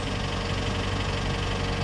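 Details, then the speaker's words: Flooded Mercedes from Copart that sat long: idling with fast light top-end ticking; owner hoped it was lack of lubrication but it didn't go away, suspects possible mechanical damage, unconfirmed. "on't like that chatter but some of these cars sit for a long period of time guys and that can uh take a while for the top end to get re-lubricated"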